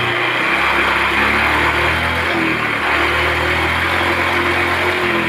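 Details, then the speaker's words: Honda automatic scooter that started hard and stumbled, now starting easily after the EOT sensor fix: steady, even idle with a smooth low beat and no stumbles or misses; engine running cleanly. "hidupnya Akak gampang setelah kita lakukan Cara ini hidup gampang berbuat di awal juga hilang ya"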